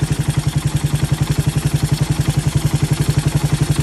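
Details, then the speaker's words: Raider 150 with 28mm carburetor during carb tuning, mixture screw wound in to tightest setting; single-cylinder thumping idle about 220 beats a minute, slightly uneven, running lean. "So ito, kung mapapansin nyo, nakalagay na siya sa pinaka tight na settings. Subukan natin paandarin natin."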